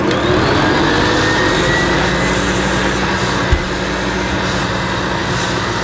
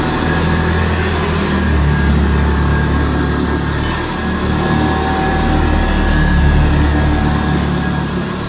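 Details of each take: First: Hoover Senior C1300 commercial upright vacuum cleaner with the tool (pan) converter fitted for a suction test: loud steady motor roar with a constant hissy scrape as the long new agitator brushes rub inside the converter. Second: Hoover Senior C1300 commercial upright vacuum cleaner after agitator replacement, on the highest setting, then lowered one notch, pushed over carpet: steady high motor hum easing slightly under load; healthy, even-running vacuum.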